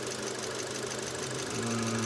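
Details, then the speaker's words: Engine after timing chain replacement at 220,000 km: idles steady, even and quiet with no knocking or rattling; detonation and gurgling noises gone. Old chain was stretched about 3 mm and its tensioner broken with teeth crumbled. "Вот, двигатель работает ровно, хорошо, тихо. Пропала детонация."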